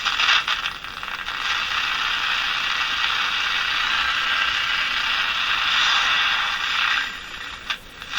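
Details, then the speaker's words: Crosley Moffat G-165 five-tube radio, three paper/wax capacitors replaced: steady hiss with irregular crackles and pops over reception; cause not yet found. "Don't know what that was. Lots of crackling."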